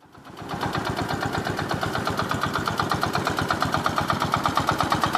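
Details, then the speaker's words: 1968 Gravely 430 before crank change teardown: sharp, regular metallic rod knock, roughly three a second, standing out over the idle exhaust beat; worn rod bearing. "here's a little before of this thing going in the shop, but you can hear the rod knock pretty good."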